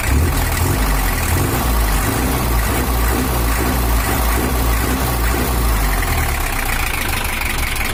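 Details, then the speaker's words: Toyota Hiace LH11 diesel at idle after the engine was set up: bigger fan fitted for cooling; deep, even idle with a steady beat, no knocks or misses; sound is back to normal, expected to smooth further once bedded in. "ini udah selesai baru suaranya usah kembali normal Karena untuk sepuran nya masih belum rata seutuhnya"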